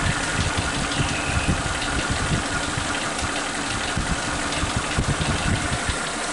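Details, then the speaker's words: Suzuki Katana engine on point ignition, idling with new spark plug wires, exhaust sound heard: no more popping, even low rumble with no dips or misses; normal idle. "Ini kita bisa dengarkan suara di knalpot, tidak ada suara nembak-nembaknya lagi. Rata dia."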